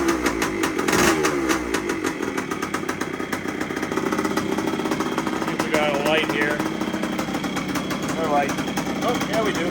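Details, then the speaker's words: A 1973 Yamaha CT3 two-stroke is first started after a complete engine overhaul, cold, with enrichment on, indoors, after a few kicks. It holds a steady, even idle with light blips and no knocks or misses: it idles well. "well I'm happy with that wow it didn't take many kicks to get that to run and it actually idled really well too"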